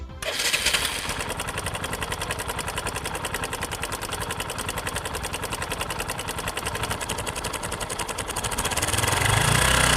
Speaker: this is called camshaft bearing noise to rectify this problem open the cylinder head cover and remove the cam shaft